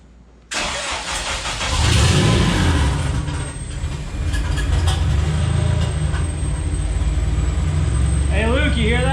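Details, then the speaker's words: Porsche 996 911 with a fresh JDM K24A swap: engine catches, revs briefly, then settles into a steady, even idle with no ticks or knocks, 60–63 psi oil pressure; sounds smooth and healthy. "all right we got 63 pounds of oil pressure 60 pounds sounds fantastic no no no ticks or knocks or anything crazy it sounds smooth as can be"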